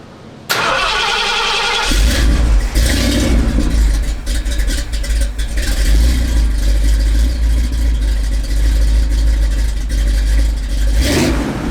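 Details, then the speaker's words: Big block freshly swapped in, with near-straight-pipe dumps, hot: cranks and catches, then a lumpy, wavering idle; owner feels it is starving for fuel, but the spark plugs look good, so he suspects idle mixture rather than jetting. "oh my God it's hot it's hot feels like this thing is starving for fuel"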